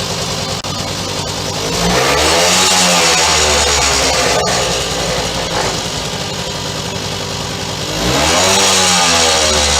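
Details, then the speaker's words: 1965 Suzuki K11 two-stroke with a newly fitted cheap Chinese carb made for a Honda 90, left running a few minutes: steady buzz, climbs cleanly through two rev blips and settles back without stumbling; runs well. "I'll let it run for a few minutes. I think I'll take it for a ride tomorrow. Maybe."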